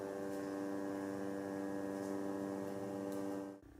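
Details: GVM GT-J80D motorized video slider at about 25% speed, recorded on a Canon S10 camera mic: steady buzzy electric hum at a fixed pitch while the slider creeps along, cutting off abruptly when it stops; motor whine, unclear whether normal.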